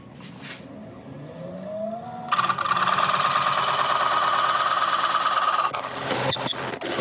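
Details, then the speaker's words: McNaughton coring system used for the first time, hollowing a large natural-edge elm bowl on the lathe: harsh scraping with a steady squealing chatter as the tool is forced and binds. Coring tool binding and chatter. "right I know this sounds awful but I'm determined to get this through"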